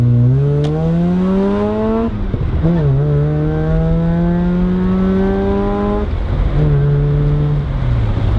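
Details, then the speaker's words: Mazda RX7 after a cheap exhaust fix: the catalytic converter was cut out and a pipe welded from header to cat outlet, curing the exhaust leak. Smooth rotary exhaust note rises and falls cleanly through the gears, now quiet with no puffing or ticking. "this is easily the quietest car owned now which is crazy because it used to be the loudest car I own"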